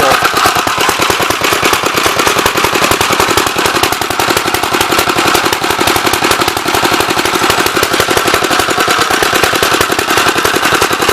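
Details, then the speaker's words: Gravely 64L tractor, long unrun, motor previously seized with cracked cylinder; runs rough with fast choppy firing and sharp pops, flooding rich with some black smoke, choke off and throttle up, main jet stuck and not adjustable. "It's definitely flooding."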